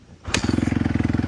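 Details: 2017 Honda CRF250R after storage, pipes refitted, work finished, using idle-up: catches at once on the kick and settles into a crisp, even single-cylinder idle of about eighteen pulses a second; normal start and idle.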